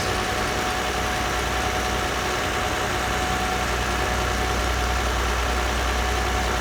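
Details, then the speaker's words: 2008 Lexus ES 350 with bad transmission, first cold start after sitting almost two years on old fuel: brief white smoke and fuel smell, then an even, steady idle with no knocks, misses or rattles; engine runs smoothly. "so smooth unbelievable unbelievable so she lives"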